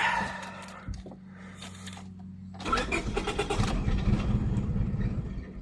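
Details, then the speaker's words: 2000 Honda Civic 1.6L SOHC, cold after wet conditions, with water on the distributor: long weak cranking with scattered attempts to fire and no catch; cracked distributor cap let moisture into the ignition. "and if we go to try to start it it probably won't start or if it does it'll run like crap"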